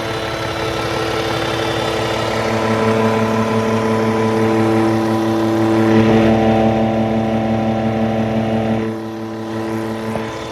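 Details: Cummins ISX15 diesel with upgraded oil pump idling: steady droning buzz over even engine clatter; oil pump suspected, not confirmed.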